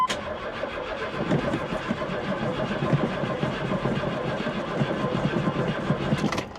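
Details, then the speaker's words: 1991 Lexus LS400 on a booster pack: steady, labored cranking for about six seconds, draining the pack, but it never catches; the fuel filter has fuel and may leak slightly. Cranking, no start. "be great if I could get it to fire up you know what I mean sounds like it's dragging down that booster pack pretty [Music] quick"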